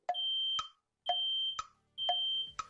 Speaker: great job that's the fire safety sound it's a smoke alarm if you hear that sound stop what you're doing choose the best way out of the room